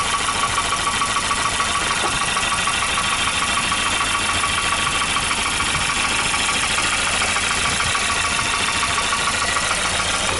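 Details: 1992 Volvo 940 GL, B230FB engine, cold idle: steady light knock about three or four a second over the engine; piston slap that quiets once the engine warms.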